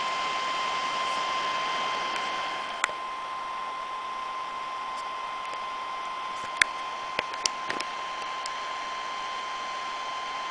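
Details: Medion MIM2300 laptop fan: a constant airy rush with a steady whistle on top, as loud as a small vacuum cleaner; loud fan noise.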